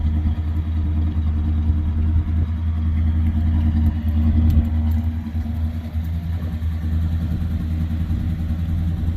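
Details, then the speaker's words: 1972 Plymouth Fury I V8, revived after years of neglect, now running on its own fuel supply: deep, even burble at idle with steady low rumble, no knocks or misses; sounds healthy. "Doesn't even sound bad."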